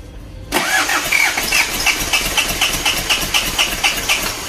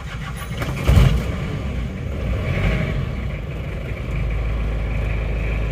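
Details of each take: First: Isuzu Panther 2.3 diesel cranking before engine removal: even chug about four beats a second but never fires; liners suspected seized, likely after running out of coolant, with blown head gasket letting compression into radiator. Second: Isuzu Panther 2.3 diesel after rebuild for lost compression (stuck liner, reused original liner, new rings), fuel system being primed: catches after short crank, settles to steady deep even idle; normal start, timing possibly too far advanced.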